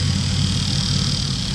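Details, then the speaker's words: Truck at idle: thin, loud high-pitched whine riding constantly over the engine, new since an incident that damaged the truck; the alternator is suspected as the source, not confirmed. "Sounds like it's coming out of the alternator. Super loud. That's new after the incident."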